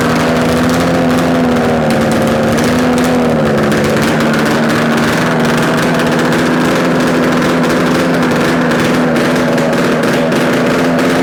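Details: Yamaha RD250 two-stroke twin on a test-stand mount with total-loss ignition, running after coil wire swap and carb adjustments; steady, even buzz at constant pitch, no knocks or rattles; running cleanly, likely a good engine.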